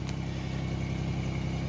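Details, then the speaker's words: 1990 Chevrolet Lumina Euro 3.1 V6 with about 145,000 miles, started after sitting about three months, fires right up and holds a steady, even fast idle near 1,800–2,000 rpm (tach reads 2,500 but is off); normal cold-start fast idle. "fired right up I'm impressed the uh tack is off it's not 2500 rpm it's more like probably 1,800 2,000 I don't know why it's like that but that's just how it is"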